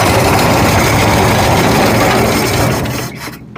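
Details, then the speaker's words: 1965 Ford F100 with 240 inline-six, first runs after carburetor replacement, choke partly off: uneven, lumpy beat about four pulses a second, then dies; owner thinks idle set too low; rough idle, cause unconfirmed. "it does run she rough though well we you have to play with it get it not rough"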